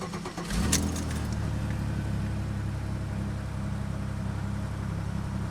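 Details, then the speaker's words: 2003 Pontiac Grand Am GT at 122,304 miles, about 2,400 miles after an engine rebuild, cold start around 4–5 degrees after an ice storm: a brief crank, then a smooth steady idle. A fuel pressure regulator replacement has reduced its occasional long starts. "not bad still the occasional long start but since we changed that fuel pressure regulator it hasn't been occurring as often as it was once doing"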